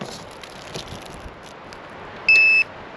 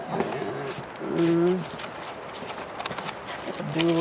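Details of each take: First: Electronic deadbolt keypad lock fitted to an old bus door, before a hack to silence its alerts: one short high-pitched beep about a third of a second long, the normal confirmation tone it gives on lock, unlock and touch. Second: Now, not only does it beep every time you lock it and unlock it, it beeps on touch.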